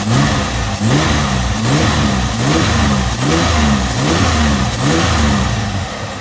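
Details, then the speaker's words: 1999 Toyota Solara, supercharged, just fitted with bigger cams, ARP head studs and a new head gasket, first start after reassembly: engine catches and runs steadily with regular rev blips, no knocks; smoke only from touched header; later found slightly lean. "all right so there is smoke but that's just from the header just from touching it but it is up and running now okay got everything running"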